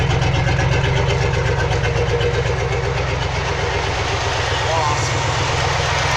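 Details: 2003 Chevy Silverado with a 6.0 LS engine and code P0300: the idle chugs at about four beats a second but drops the odd pulse and shakes; a random misfire, with the owner hoping it's the coil packs.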